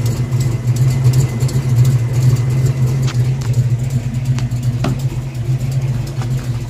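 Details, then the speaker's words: 1982 Ford Mustang GT V8 with old short-tube headers and H-pipe, recorded under the car: deep steady idle rumble with sharp ticks; exhaust leak at driver-side header, number eight primary apparently cracking around, burned header gasket. "there in that header and it sounds terrible here let me show you what it sounds like"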